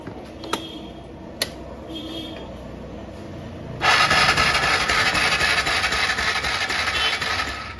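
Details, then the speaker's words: TVS Ntorq BS6 scooter, ignition on, self-start pressed: starter whirs steadily about four seconds, engine turns over but never fires; no spark current found at the removed spark plug; cranks but no start. "এবার on আছে, এটা start করছি, সেলফের বোতাম press করব, দেখো সব কিছু হচ্ছে। বাট এখানে কারেন্ট বলে কোনো জিনিসই নেই, এখানে যে ফ্লাশ করবে সেই জিনিসটা হচ্ছে না, দেখো।"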